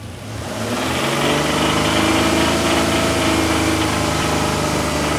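Rough idle and revs carry a steady light knock, roughly three or four a second, riding over the engine; knocking of unknown cause.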